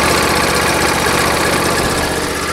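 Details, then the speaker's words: John Deere LA145 riding tractor engine at idle: a fast, even light tapping over a steady idle. The owner suspects the valves need adjusting, but this is unconfirmed. "sounds like it needs the valves adjusted you hear that tapping sounds like a"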